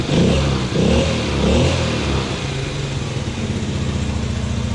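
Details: Yamaha Grizzly 80 ATV after rebuild and carburetor refit: a few quick throttle blips climb and drop cleanly, then it settles into a steady, even idle, pulling without stumbling; normal revving.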